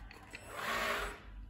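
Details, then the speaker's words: Electrolux cordless vacuum, about two to two and a half years old, battery shows fully charged: brief thin motor whir that swells and fades without reaching full speed; owner suspects the motor or a spoiled battery, unconfirmed. "see no energy at all so i believe the the motor was a problem or the the battery already spoilery"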